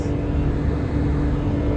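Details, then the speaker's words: Naturally aspirated carbureted three-cylinder Daihatsu Mira with 3-speed automatic, throttle floored on the highway at about 75 km/h, gives a steady low strained drone with no knocks, struggling to reach 80 km/h; underpowered but sound. "I'm making a lot of noise, if you guys can even hear that, but it's just struggling to even get to 80 kilometers kilometers."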